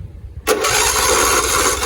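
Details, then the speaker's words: John Deere LT166 riding mower, 16 hp Briggs & Stratton V-twin, first start attempt: after a pause the starter spins fast, strong and even; no solenoid or starter motor issues. Normal starter cranking. "Oh yeah, that cranks beautifully. So no solenoid or starter motor issues."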